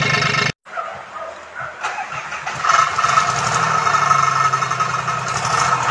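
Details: Komatsu PC-20 excavator with a 3D84 diesel suffering low power, black smoke and hard starting: a brief crank, then it runs with an uneven, lumpy knock; rough running from faulty injectors, later repaired and replaced.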